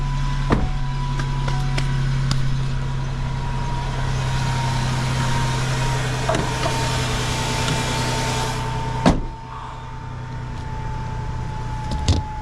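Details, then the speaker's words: Van with 11,000 miles on pre-purchase inspection, oil clean and full, warming up: steady low hum, even smooth idle with no knocks or ticks, a few background clicks; normal healthy idle. "It it sounds good. It doesn't feel weird."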